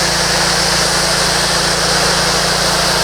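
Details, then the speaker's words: Simpson MegaShot MS60921 pressure washer spraying with the 40-degree nozzle, no soap: a loud, even engine drone with steady spray hiss, no surging or knocking; normal running under load. "You can hear how loud the unit is. There's when it's spraying. It's got lots of power."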